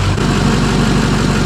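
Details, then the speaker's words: Built 6.0 Powerstroke diesel with Turbo Time GXR-7 non-VGT turbo and crankcase vent routed into the exhaust: deep, steady idle with even rhythmic clatter, no misses or knocks, purring; normal diesel idle. "but as you can hear this thing is just sitting here purring like a kitten"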